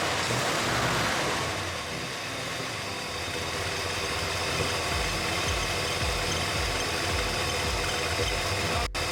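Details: 1964 Mercury Montclair, Ford FE 390 with cam and intake kit, coolant filled, first sustained run since the 1980s. Steady, even V8 burble at idle with no misses or knocks; running well.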